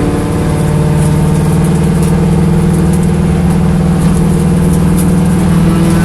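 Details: Corvette V8 idling with an uneven, lumpy beat and occasional stumbles breaking the rhythm; a misfire at idle, cause suspected but not confirmed.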